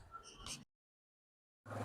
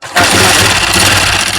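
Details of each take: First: Honda CG 125 single started after replacing the cam gear (garari) and refitting the cylinder and head to cure a cam-gear noise. Steady, even idle with a firm low rumble and no top-end ticking: the noise is gone. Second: Honda CG 125 engine, mic inside the bike, before repair. It catches and settles into idle with a busy, high metallic chatter over the rumble: cam gear noise.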